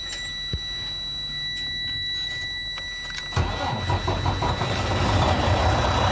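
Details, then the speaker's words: Freightliner Cascadia DD15 that wouldn't crank, after clutch switch replacement: about three seconds of steady starter cranking, then the diesel catches at once and settles into firm, even idle — healthy start. "I just need to connect the plug and now I'm going to start the engine"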